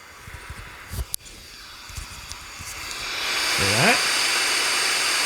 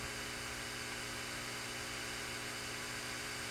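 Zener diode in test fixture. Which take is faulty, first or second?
first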